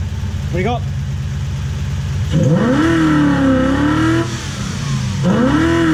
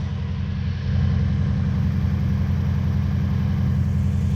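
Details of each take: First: Toyota Hilux 2WD pickup with a Lexus 1UZ-FE V8 swap, after repairs including correcting ignition timing that was 30 degrees out (was 40° BTDC): clean revs rise and fall smoothly with an even firing note and no misses or knocks; normal revving. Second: Lexus 1UZ-FE V8 swapped into a 2WD Toyota Hilux ute in 2005, before repair: loud, choppy low rumble with a jerky uneven beat at idle, rattling; a timing light showed ignition timing out by 30 degrees, over-advanced.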